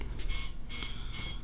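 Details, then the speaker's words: Quad with Betaflight flight controller and Jumper T16 Pro multi-module transmitter during receiver frequency tuning: steady shrill buzzy failsafe beeps, about 2.5 per second, as the radio link is lost and invalid inputs are detected. "I'm gonna keep even though it's beeping it's giving me false commands that's basically saying beta flight the flight controllers detecting invalid inputs so it's critical there"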